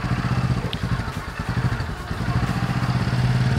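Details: Honda Supra X 125 fuel-injected, converted from automatic to manual clutch, at idle: low throbbing idle with uneven thump and steady underlying hum; gear behind centrifugal clutch bowl suspected, possibly from turning adjustment twice instead of once.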